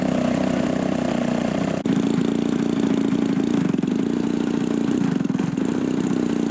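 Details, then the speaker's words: RC model aircraft engine on a cool-air ground run: fast steady idle that dips and hesitates when throttle changes; low-speed mixture running too lean, low-end needle likely needs opening. "Cooler air, so your low speed's going to be a little leaner than usual. You're just not going to be able to hammer the throttle. Running too lean."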